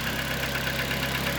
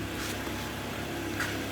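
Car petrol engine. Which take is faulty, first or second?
first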